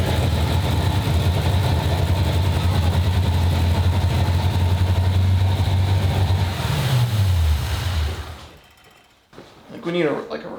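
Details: 1995 Ford Mustang GT, 302 V8 after a carburetor, manifold and fuel pump swap: lumpy, uneven idle beats that sag until the engine stalls. Fuel pressure above the 4–7 PSI spec is flooding the carb; a return line has been ordered.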